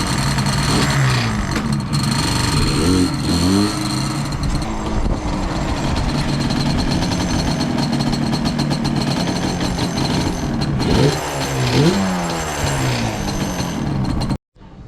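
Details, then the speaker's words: Yamaha Banshee two-stroke ATV with play in the kickstarter. A metallic rattle over the engine crackle that grows louder as revs rise; kickstarter rattle, to be fixed by replacing the ball bearing, spring and seal with a rebuild kit. "So when you turn on the Banshee, this sort of rattles, and if you have that, I'm going to see if changing the components inside, the little ball bearing, the spring, and the seal, if that wil"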